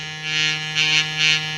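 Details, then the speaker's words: New Gobo magnetic hair trimmer, just unboxed: a high buzzing hum that swells and fades in pulses with a rattly edge. The matching clipper makes no such noise; cause unclear. "it's making a strange noise so just listen you hear that it's making a strange noise that's the only thing I don't like about this head trimmer"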